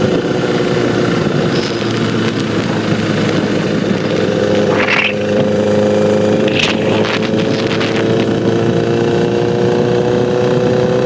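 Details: 2009 Honda CBR Repsol motorcycle at steady engine speed: faint light tick over the hum, persisting after cam chain tensioner replacement; source unknown.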